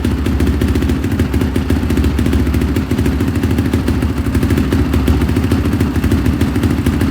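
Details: 2005 Honda CRF450R single after top-end rebuild that would not start, timing reset, retorqued to 29 ft-lb: steady, even thump at fast idle with no misfire or stumble; now running clean, normal running.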